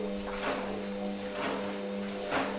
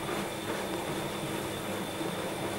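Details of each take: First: Hotpoint washing machine C.E.SET motor after fitting new carbon brushes, viewed from underneath: steady even hum with a soft swish about once a second, armature spinning smoothly with no sparks or crackle; normal motor run. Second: Hotpoint/Indesit/Scholtes/Ariston washing machine C.E.SET motor spinning, recorded from underneath: faint high whine with distinctive clickety, crackly arcing noise from one worn carbon brush making bad contact and sparking; brushes to be replaced.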